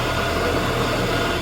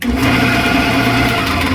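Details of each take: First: 1979 Shopsmith Mark 5 running after original quill replaced with a new one to cure about 1/16 in wobble; steady, even motor hum with a smooth low drone and no knocking, far less floor vibration than before, almost perfect. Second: 1979 Shopsmith Mark 5, old worn quill turned by hand: one makes almost no noise, this one audibly noisy with loud uneven whirring, rough hum and rattly overtones; visible wobble. Worn quill causing spindle wobble, before quill replacement.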